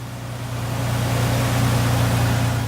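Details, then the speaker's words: 2004 Ford Ranger XLT 3.0L V6 after replacing upper and lower idler pulleys: smooth, low, steady idle hum, no belt chirp or squeal; earlier squeak suspected from bottom idler pulley, now gone. "hopefully when you start it up everything should sound nice and smooth like this you won't hear any more squeaking or anything like that going on because all the pulleys bearings should be nice and good and the shave running smoothly hopefully just like this"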